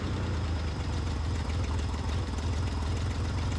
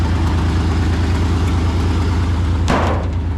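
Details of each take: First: Ford Bronco II yard truck on a warm day (about 70°F), started cold after no-start troubleshooting, no choke: low, lumpy, uneven idle that barely keeps running until warm and then starts to even out; rough cold idle. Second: Ford Bronco II engine warming at idle on a 70-degree day, no choke: low, even idle with a steady beat and no stumbles, starting to even out, with a short handling clatter near the end; normal idle.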